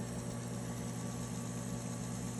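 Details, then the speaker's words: Electric typewriter running after the typing belt was replaced; smooth, steady low hum with no knocks or surging, much quieter than the old belt that vibrated; normal running. "so it's a lot quieter now as you can hear uh but"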